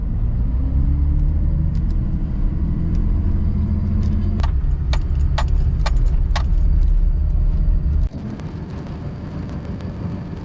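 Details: 2005 Dodge Ram 2500 diesel after fixing a water-in-fuel warning and priming the fuel system: strong, even rumble with a steady low beat and a few light clicks; runs smooth with no misfire or stumble.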